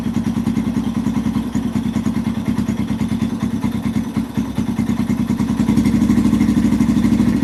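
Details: 2005-2009 Yamaha TTR-230 single-cylinder, carburetor suspected after an adjustment to one and a half, tank refitted: thumping about three beats a second, uneven, sagging then recovering; idle won't hold, only slightly improved, seems not getting enough gas, runs great on choke.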